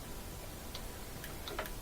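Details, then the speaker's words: Kenmore top-loader that wouldn't spin: lid switch case with failed glue (old age or lid slamming) tightened with zip ties; now a few crisp, light clicks in quick succession, lid switch engaging properly after repair. "and it should click normal and that'll activate that lid switch and that would get rid of all the water yeah so now we can hear it click"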